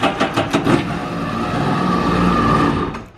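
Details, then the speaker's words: 2011 Yamaha WaveRunner VX110 Deluxe jet ski, sat unused for years, with fuel swapped for fresh 93 and compression tested: a couple of short cranking bursts, then it catches immediately and runs evenly; clean, healthy start. "dude it cranked so smooth and now watch watch I bet it will crank up no hesitation at all"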